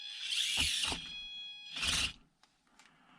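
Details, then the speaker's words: Thin high steady whine from a cheap Zombo RC brushed ESC driving an SCX24 micro crawler on 2S at low speed. "unfortunately you can hear the whining it can also bash but low speed modulation is not that bad in this super super gps with light controller but the whining is quite annoying"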